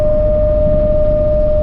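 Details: Camper van with newly fitted Thule roof rack, at speed: loud pure steady mid-pitch howl with a fainter higher tone over road rumble, wind whistling across the rack bars; described as horrid high-frequency vibration.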